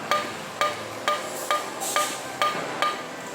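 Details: Hyundai Tucson front suspension: sharp metallic clacks about twice a second as a worn shock absorber with play is pumped by hand; fixed by replacing the shock absorber and strut mount.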